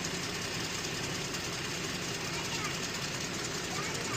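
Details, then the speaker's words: 2018 Jeep Grand Cherokee 3.6 L after replacing cylinder 5 fuel injector, spark plug and coil (had misfire and injector circuit codes), warmed up and not overheating: even, steady idle, no stumble or tapping; normal idle after repair. "So, she had a little she had a little misfire, but sounds good now."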